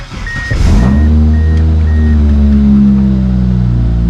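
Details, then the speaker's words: Mitsubishi Eclipse 2G on its third engine, first start after install: engine revs up smoothly and settles with a clean rising note, no chirp or squeal from the alternator belt; sounds healthy. "i'm really hoping this alternator belt does not squeak ah let's see what we're working with"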